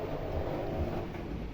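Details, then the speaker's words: 2014 front-loading washing machine after repair of a noise where something caught on the drum, reassembled and test-run: steady low drum rumble, no knocks, scraping or rattles, no leaks; repair complete. "шумов не обнаружено четырнадцатый год выпуска протечки не обнаружены значит всё вышло идеально значит ремонт окончен"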